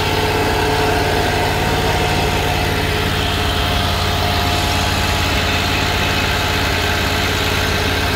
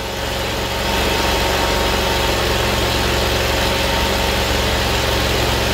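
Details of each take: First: Kohler Command Pro 25 (CV730) twin on Great Dane Chariot zero-turn with cutting-off complaint, during reassembly: smooth even idle, steady beat for twelve seconds before shutdown, no stumbling or surging; normal running. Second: Kohler CV730 twin on Great Dane zero-turn that cuts off, hose slid off, brake cleaner sprayed in intake: settles to steady slightly uneven idle and keeps running; confirms fuel starvation, carb or line/pump/tank yet to check.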